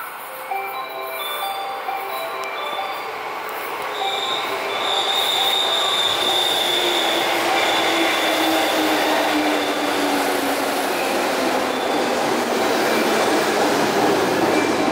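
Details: JR West 221 series set K09 arriving at Otsukyo station, Kosei Line local train for Kyoto: steady rhythmic pounding about four beats a second; suspected wheel flat, not confirmed.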